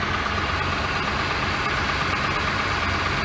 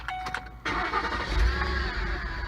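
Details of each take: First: 2006 Ford Explorer Eddie Bauer V8, idling after a home repair for a bad pulley squeak. Steady, even idle with no squeak or chirp over the engine hum; the belt drive sounds quiet and healthy. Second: 2006 Ford Explorer Eddie Bauer V8, engine start to idle: thin squeal over engine, loudest near the idler pulley; worn belt tensioner/idler pulley bearing squeak, power steering doubted.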